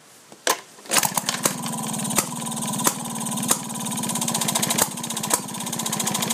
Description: 1929 Maytag Model 92 Hit and Miss engine running. Just finished restoring and fine tuning the carb.